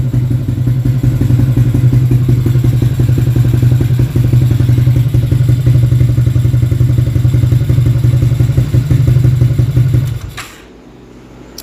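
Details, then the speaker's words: Motorcycle after a top-set service with battery replaced, run at 3 a.m. with rusty exhaust: steady, even low idle thrum with a light blip, no ticking or clatter, then switched off; engine quiet as usual, normal idle. "Bunyi enjin senyap lah, macam biasa lah."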